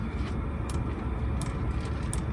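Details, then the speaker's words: Heater on a boat during its start cycle, ignition on, after purging unburnt fuel from the chamber: light, even fuel pump ticks about every 0.7 seconds over a low rumble; normal pump pulsing as the cycle resumes. "it will basically turn the fuel pump back on you'll hear it ticking in a second"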